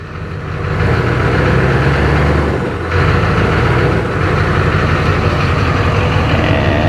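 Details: 2004 GMC 3500 Duramax diesel pickup, revved in gear while shifting through to circulate transmission fluid before a level check: deep diesel clatter climbs smoothly through a couple of blips and settles back, no knocks or grinding; healthy.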